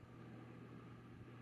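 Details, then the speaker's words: Honeywell TurboForce Power 2-in-1 tower/air circulator fan, believed to be from 2008, with the bottom unit relubricated, running on high: a steady, even rush of air with a low constant hum and no rattles or wobble. There is little difference between speeds, but it is powerful for its size. Normal. "not that much of a difference between speeds but this little thing is uh powerful for what it is"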